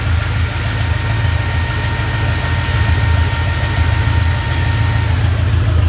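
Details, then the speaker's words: Restored Ford Galaxie 500 V8 warmed to operating temperature, gauge about three-quarters, cooling fans cycling on and off, alternator working; deep even idle rumble, no knocks or misses: normal idle. "everything's working alternator's working the fans work and cool it pretty darn quickly"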